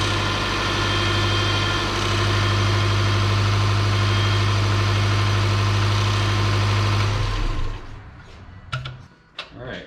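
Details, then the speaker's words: 2006 Subaru Forester power steering pump at idle, stiff and noisy when cold: thin high whine while the wheel is turned, fluid low, very foamy and dark; a lot of air in the system aerating the fluid. "major major amount of air in there so that's telling me that there's a lot of air in the system"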